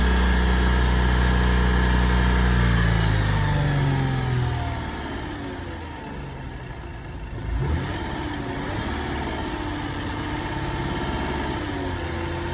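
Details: 2006 Lexus IS250 engine failure: a rev drops back to idle, then a steady, regular knock of about four per second continues. A bad rod bearing or main bearing is suspected but not confirmed. Engine knock at idle.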